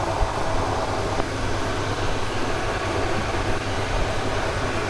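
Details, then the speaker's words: Camper bus kitchen range hood sirocco duct fan running on high with filter fitted: loud, steady rushing roar with a low hum underneath, measured at 82–83 dB directly below. "<b>I'll put the filter on for now. Listen to how loud this fan is.</b>"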